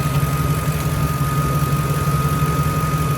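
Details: Ford F150 2.8, owner-reported smoking at startup and stops; steady idle with a thin constant high-pitched whistle, possibly alternator or PCV inlet area being checked with vacuum gauge, source unconfirmed.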